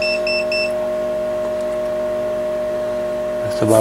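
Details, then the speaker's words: Yaesu FTDX-560 receiver after repairing a broken VFO wire, test signal from generator at about -120 dBm: clean steady tone at one pitch under faint hiss, brief beeps at start; receiver hears the signal properly. "about a minus 120 dBm, and it is still hearing the signal."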